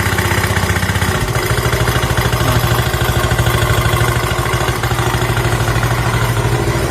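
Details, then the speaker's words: Honda Beat FI scooter idling with a rough, pulsing low hum and light clatter from the CVT/gearbox, also rough droning around 60 km/h and noisy off throttle; crushed rollers. "jadi dengan kedalaman salah seperti ini suara kasar di bagian CVT atau bagian gearbox nya Tapi bisa kita dengar ya semuanya luarnya seperti ini gemblodak orangnya juga tak"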